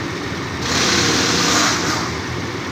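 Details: 2012 Toyota Land Cruiser V8, cold engine in cold weather, revs briefly with an uneven, lumpy beat and shaking. Misfire with no check engine light; the cylinder location is unknown, possibly a failing ignition coil.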